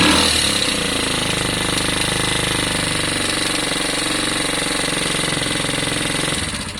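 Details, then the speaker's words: Lexmoto Valiant single after EFI-to-carb conversion, held at high revs: buzzy, flat note that never climbs to a scream, sluggish top end; valve clearances suspected far too loose, and the 105 carb main jet may be swapped for a 90. "all right i'm gonna go and get the car it doesn't sound terrible but you can hear it it's not screaming so"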